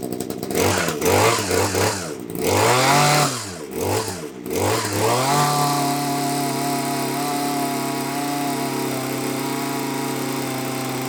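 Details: Titan hedge trimmer two-stroke, glued back together, running on a petrol mix containing some nitro/glow fuel, warming up: stutters and revs unevenly, then drones at steady high pitch while still choked; runs on choke but poorly off it.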